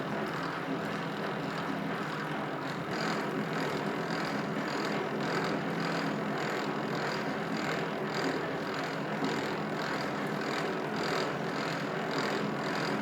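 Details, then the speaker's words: Old Rockwell lathe being reassembled, gears on light assembly oil only with no grease: steady whirring gear noise with faint regular pulsing over the motor; source is incorrect adjustment (backlash) between two meshing gears. "I haven't really gotten this adjustment yet but I figure out right away that here's the source of my noise is the adjustment between these two gears"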